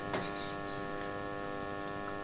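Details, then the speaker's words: House circulation pump for hot water loudly humming at constant pitch though not pumping, housing hot (about 50 degrees vs 36 on hot water pipe); cause unconfirmed. "Słuchajcie ta pompka buczy słychać pewnie nie nic nie pracuje a pompka buczy zobaczcie"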